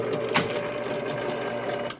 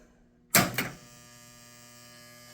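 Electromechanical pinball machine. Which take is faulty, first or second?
second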